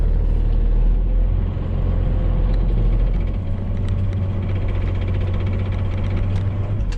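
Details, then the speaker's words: 1995 Dodge 2500 Cummins with NV4500 5-speed manual, 240,000 miles, work truck: idle rumble with a faint, even whine in every gear except fourth, gone with clutch in; manual transmission gear noise, mounts and exhaust ruled out. "I don't know if you can hear this noise or not, but whenever we put it in any gear but fourth gear, it makes this noise. Clutch in, noise goes away."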